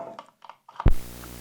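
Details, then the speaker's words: Audio ground-loop demo: front-of-house console on a separate ground gives a thump, then steady low mains hum with buzz; cured by star-grounding it to the shared AC cable. "There's our hum and buzz."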